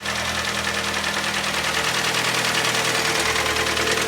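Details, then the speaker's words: Hyundai ix35, 2011, G4KD engine, front-wheel drive, automatic, 157,000 km, LPG fitted: hard, steady knocking about three beats a second over idle, loud and even; scored cylinders letting pistons slap, may need boring or re-sleeving. "Ох как хорошо брякает прям замечательно стучит"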